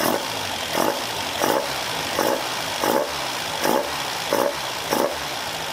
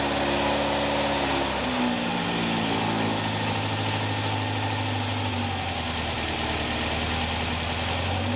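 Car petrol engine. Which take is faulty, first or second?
second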